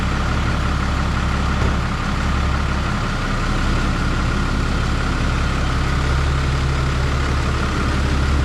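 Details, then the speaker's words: 2012 Ram 3500 6.7 Cummins after new cylinder head and gasket install for a head gasket leak or possible cracked head: steady, even low diesel idle rumble with no knocks or misses; healthy. "Not hearing any funny sounds. Sounds like it's hitting even on all cylinders. It's noisy in the way that a Cummins should be noisy."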